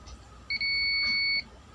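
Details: Mi TV panel ST3151A09-2-XC-1, blank display with backlight and sound OK: one steady high continuity beep of about a second on a removed capacitor; shorted capacitor pulling AVDD voltage low, replaced.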